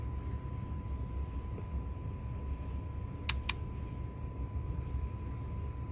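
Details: iPhone 7 home-button haptic feedback: two sharp, hard clicks, louder than normal, over a low room hum, caused by a loose internal screw; the vibration alert is also noisy.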